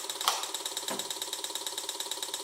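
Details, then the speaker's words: Chip welding onto the carbide cutter while milling an aluminum gib-lock knob for a Sieg X2.7 on a CNC mill after the superglued workpiece came loose; fast sharp ratcheting ticks about nine per second, cutter hot, air cooling insufficient. "Nice. Nice. Chip welding. Chip welding."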